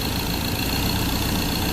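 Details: Ford 2.0 Bi-turbo diesel at 150,000 km, test after a third injector repair: pump failure left metal debris sticking the injector needles, and the tank was cleaned. Steady, even diesel clatter at warm idle with no misses, knocks or hunting; runs smoothly.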